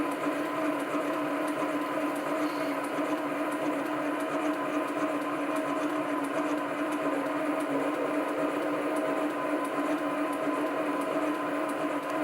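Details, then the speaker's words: Chinese SC2 mini lathe, 1.6 mm HSS parting tool, test cut on brass to check tool centring: steady even cutting hiss, constant mid tone, no chatter or squeal; normal parting cut, tool thought to be exactly on centre. "Well, I thought I'd just turn a bit of brass with this parting tool just to see whether I had centered it correctly,"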